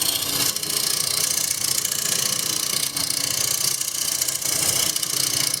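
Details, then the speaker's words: Woodturning lathe, scraper finishing the recess on an odd-shaped tray blank: harsh, hissy scraping with a fast uneven pulse about four a second; vibration caused by the uneven top of the workpiece. "scraper can hear that vibration [Music] and from uneven top"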